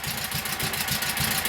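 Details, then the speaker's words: Kohler KT17 twin on first start, oil pressure 50; both cylinders running at fast idle but one drops a pulse now and then, an occasional miss; cause unconfirmed. "Both cylinders are running, but this one's got the odd miss in it."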